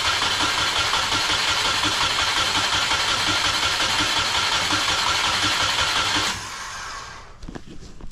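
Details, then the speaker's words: EJ20 engine in a caged 1995 Subaru Impreza L track car, on a temporarily wired harness with a fuel leak: even starter whir near three beats a second for six seconds, never catches. Crank, no start; compression, injectors and spark to be checked. "So at least we can say it turns over, which is a good sign. Doesn't sound crazy."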